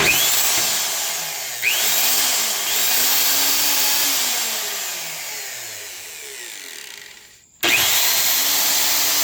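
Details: Craftsman 10-inch table saw, 15 amp motor, after switch repair: motor spins up to a clean steady whine, coasts down smoothly and restarts, no grinding or bearing rumble; healthy running.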